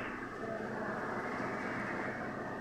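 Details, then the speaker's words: Peugeot 307 1.6 16-valve at 160,000 km, cold engine just started: steady, even idle with a smooth hum and no stumbles or dropouts; normal cold idle despite owner's complaint of misfire when hot. "o motor já pegou sereninha ali tá de boa ele fic assim né"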